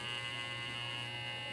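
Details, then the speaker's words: Hair clipper with a loose blade screw whose thread is stripped: a steady, high-pitched buzz with a slightly rattly edge as the loose blade chatters; still somewhat noisy while the screw is being fixed. "Maingay pa siyang konti ngayon ito ang gagawa nating paraan Ayan oh medyo Maingay pa kasi maluwag na'to"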